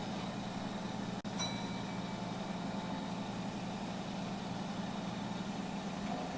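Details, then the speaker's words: Two old Bennett 541 gas pumps, including a clock-face pump, running and pumping together, steady even low hum under load without knocking or rattles; the clock-face pump seems to pump faster than the bucket can be refilled; normal running. "pretty cool I'll tell you what it seems like the clock face pump pumps faster because I can't keep a barely keep up"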